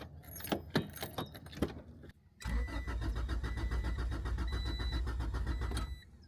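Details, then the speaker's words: Turbo Honda Integra cranking: keys jingle, then the starter cranks steadily for about three seconds without firing; no priming whir from the normally loud AEM 400 fuel pump is heard; crank, no start, fuel pump suspected. "I will say, I don't hear the fuel pump priming at all. Yeah, fuel pump, I don't hear it. It's really loud."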